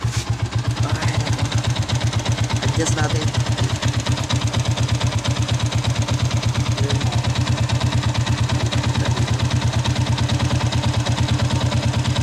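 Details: Sniper 150 with hard starting at idle, idle set to the standard 1,300–1,500 rpm (below 1,000 rpm it starts hard): even single-cylinder putter at a steady beat; normal idle.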